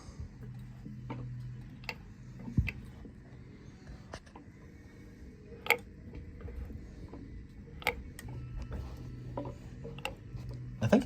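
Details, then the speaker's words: Small-block Ford drag engine turned over slowly after a rod bearing change, cover held on: sharp, uneven clicks every second or two from a rocker arm area; owner suspects a failed lifter or broken valve spring, not confirmed. "it feels like it's either in the lifter or maybe we've got a broke valve spring I don't see any of this broken but you can hear it clicking"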